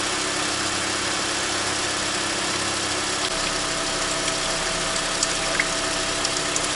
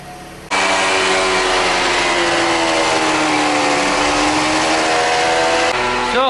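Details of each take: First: Toyota Esquire (Noah ZRR80) with replacement contract CVT after a humming complaint, fluid at about 35 °C: steady even idle, no whine, grinding or rattle; the new transmission sounds healthy. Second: Toyota Esquire (Noah ZRR80) minivan on a lift with the wheels turning, customer complaint of hum from the CVT: steady droning hum rising and falling slightly with wheel speed; diagnosed as a worn CVT reduction gear, transmission to be replaced with a contract unit.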